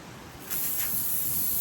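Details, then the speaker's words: Car tyre with slow leak from a road-worn screw, during Slime plug kit repair: sharp steady hiss of air escaping through the puncture as the screw is pulled and pressure let out before reaming. "I think you need to let some of the pressure out of the tyre before you stab the filing tool into the hole, to prepare it for the plug. So that's what I'm going to do."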